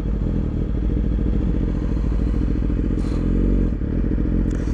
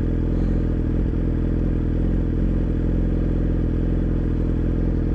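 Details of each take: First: 2017 Yamaha R6 with smog block-off plates, aftermarket O2 sensor and Dynojet AutoTune, code P0030: idle breathing lumpy with small dips before AutoTune intervenes after 60-second delay. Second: 2017 Yamaha R6 with smog block-off plates, aftermarket O2 sensor and Dynojet AutoTune (code P0030 for deleted stock sensor): steady, even idle after AutoTune intervened and adjusted maps; running normally.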